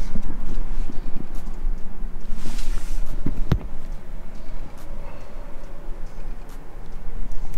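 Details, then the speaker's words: 2001 Dodge Ram 2500 Cummins, under the truck: loose, uneven dull clunks as the front driveshaft is rocked by hand at the axle; worn, rusted front U-joint with broken seals. "this is the drive shaft this is where it connects to the axle and right there that part that's moving making that clunking noise i'm sure you can hear that's the u-joint"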